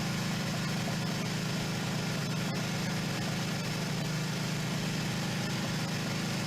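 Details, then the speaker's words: 1977 Suzuki GS550 four-cylinder, first start after sitting two years, on fuel reserve: steady, even low idle burble with no knocks or rattles as it warms up from cold. Normal cold-start idle. "so i don't care when you want to ride this bike the startup procedure is exactly the same it takes at least three or four minutes for it to warm up before you can really get up and go on it if it's been sitting overnight"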